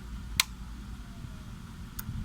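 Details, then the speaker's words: Xenon Pro PRO-KX82D karaoke amplifier after replacing burnt 10 ohm and 4.7k resistors and a 2N5401 transistor: at power-on, a sharp single click then a softer tick over a quiet room. The protection relay engages, meaning the amplifier section is normal. "So yan try ulit power. saksak natin yun. Nag-relay na siya."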